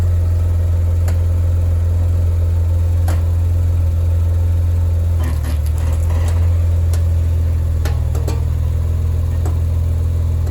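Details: Maserati Ghibli creeping at very low speed with steering at full lock: irregular sharp cracks and pops over a steady engine idle, also occurring with brake applied; cause unknown.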